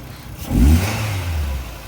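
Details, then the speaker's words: 2010 Nissan Rogue at a police auction, started right up with a jump: short clean rev and smooth return to idle without hesitation or odd noises; engine sounds healthy, normal idle and rev. "She started right up with a jump. Moving it forward and backward."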